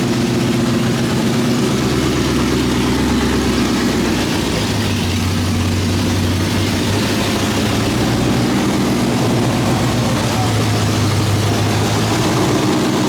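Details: 2003 Mustang Cobra swapped to a Gen 3 Coyote 5.0L V8 with open headers, 3.8L Whipple supercharger and built 10R80 transmission, at its first start after the build: loud, lumpy idle holding steady and even, no tapping or knocking; normal healthy idle.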